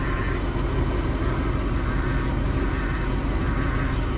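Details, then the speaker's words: Vintage RV after hydroboost bleeding and new fluids, idling with regular cap back on: steady whirring hum with no pitch change from the power steering/hydroboost side; owner suspects air still in the system. "now that we got the regular cap on still making some noise oh"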